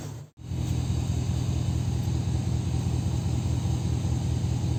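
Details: 2002 Dodge Ram V8 that misfired after an engine wash let water into the coil/spark plug wells on the cylinder 1-3-5-7 bank, after drying: settles into a smooth, even low rumble, no stumble, check engine light no longer flashing; normal running.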